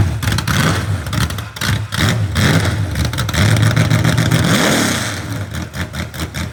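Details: Rebuilt genuine 1970 Corvette LT1 V8, being built for a 1957 Chevrolet Nomad; deep lumpy rumble that climbs cleanly with each throttle blip and settles back, pulling strong. Normal running and revving.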